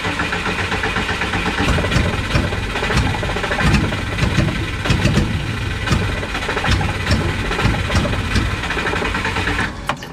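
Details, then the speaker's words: Subaru engine after flood clear, tune values changed, throttle held wide: catches and stumbles unevenly with irregular misses, never settling to a clean idle; owner suspects too much fuel and not enough air, unconfirmed. "Okay. So, it definitely wants to try to start a little bit when I give it a lot of throttle. So, that makes me think it ain't got enough air and it's too much fuel."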